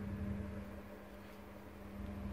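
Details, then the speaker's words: British Gas 29 CC1 / Worcester 30HE boiler showing C1 fault, front cover off, switched on: only steady low pump hum, no fan whoosh; combustion fan not running, fan supply voltage to be checked to confirm failed fan motor. "Turn the boiler back on as you can see. But you can't hear the fan running"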